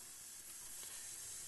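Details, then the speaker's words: Zenith 25MC36 TV with new rectifier filament wire: steady sharp hiss and faint crackle; high voltage arcing from exposed, loosely hanging parts; high voltage, deflection and colour restored. "You can see it glowing there, and we've got a little bit of arcage due to the everything just being open and kind of hanging in the air."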